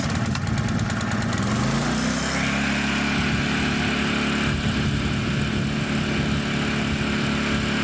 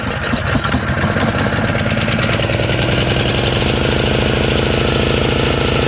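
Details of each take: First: Honda EZ1800 generator after the carburetor was cleaned, a new fuel line fitted and fresh 91-octane fuel added: brief rattle as it catches, then a steady, even drone with no misses or surging. Idle is then set to 3600 rpm. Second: Honda EZ1800 generator, cold start with the choke on after a small shot of carb cleaner: the single runs rough and uneven with irregular chuffing and stays running only on choke. Fuel supply problem, with spark and compression confirmed.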